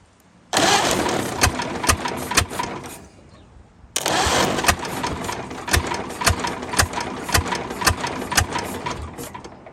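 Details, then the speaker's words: 1929 Ford Model A abandoned 75–80 years, running on gas: two cranks catch into uneven popping running with slow RPM pickup, stumbling from another sticking exhaust valve. "she's a running though see once you get them kind of running she's starting to pick up on the RPM so I think she's going to do what she's supposed to do just going to take her some time man a really we got another exhaust valve sticking again it happens"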